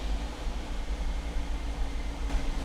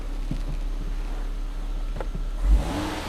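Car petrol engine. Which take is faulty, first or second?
first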